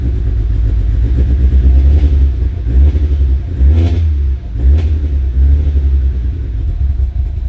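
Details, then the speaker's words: Fully built Mitsubishi Evo X, very first startup after new cams and an AMS fuel rail: deep, lumpy idle that surges and sags and needs blipping to stay running; running very rough, owner suspects it is super rich. "well guys there is the very very first startup of the Evo 10 it is running really rough it seems like sorting super rich"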